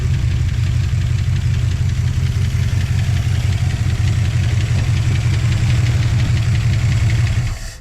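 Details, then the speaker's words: 1959 Plymouth Suburban Poly V8, after new hoses, coolant, plugs and plug wires: deep, steady idle with light lifter tick until switched off; healthy, around 18 MPG after a 2000-mile trip. "That sounds awesome. It's not bad, is it?"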